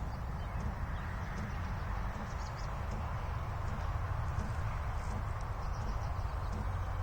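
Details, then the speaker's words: Diesel heater run from a Grecell T-500 solar generator with a jump booster pack for start-up; soft even clicking over a low hum while glow plugs warm up, about 20–30 seconds in, a normal start. "it's still warming up the glow plugs you can hear a clicking the jump box"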